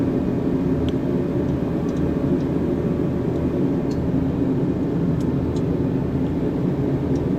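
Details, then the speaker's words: Diesel heater set low, after checking that the exhaust pipe is clear: steady, even big roar with no surging, popping or missed pulses; burning cleanly. "So, oh, there comes my heater on now. It's a big roar."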